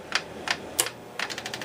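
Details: 1961 Seeburg AY100U jukebox mechanism, in play position during clutch adjustment: sharp single clicks, then a quick run of evenly spaced ticks as it tries to cycle; binding, screw possibly adjusted too tight, unconfirmed.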